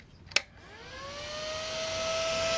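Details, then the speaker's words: Gulmay high-voltage power supply for grid-controlled microfocus X-ray tubes, bench-tested on 230 V AC through a variable transformer. At main breaker switch-on there is a click, then its 36 V DC cooling fan whirs up in pitch and settles steady: normal spin-up. "now you can hear this fan. It's a 36 volts DC fan. You hear the fan coming up."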